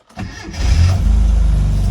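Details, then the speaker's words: 1995 Rover Mini with uprated fuel pump, started after pressing the immobilizer button and letting the fuel pump prime: brief crank, catches within half a second and settles into a steady, even idle; normal clean first-time start. "it starts first time."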